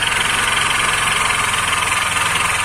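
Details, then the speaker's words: Kanuni Mati 125 scooter engine at 22,737 km, started cold: busy metallic clatter of excessive crankshaft bearing knock; crank moves loosely under pressure, noise lessens slightly when warm. "Krangın dışarıdan zaten kranga büyük baskı uyguladığımızda langır langır içeride gezdiğini görüyoruz. Aşırı bir krank sesi."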